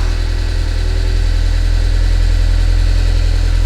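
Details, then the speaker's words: 2006 Audi A4 Cabriolet S Line petrol engine: heavy uneven drumming with hard clatter at about three pulses a second. Rough running that sounds almost like a diesel; low oil pressure mentioned, cause not confirmed. "so as you hear it almost sounds like a diesel that's how bad it is"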